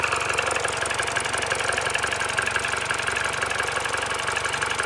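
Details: Mini Cooper R56 1.6 122 hp N16B16A, 180,000 km, timing chain, VANOS parts, coils and plugs replaced, no fault codes: fast, even light clatter about four ticks a second at idle during warm-up, with jerky throttle response; nearly gone when warm, cause unknown.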